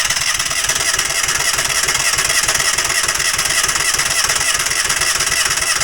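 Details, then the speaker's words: Falcon four-stroke paramotor trike with new NOCO lithium LiFePO4 battery: steady starter whirr with even compression pulses about three a second but never catches; fuel not yet drawn up, crank no start. "fuel is up to here but it hasn't pulled up"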